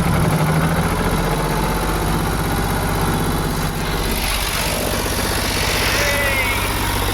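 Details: Ford 4600 tractor diesel just restarted after fitting a service-exchange injection pump; fast even idle around 1300 rpm that won't drop, throttle held open, should tick over near 800, needs idle adjustment.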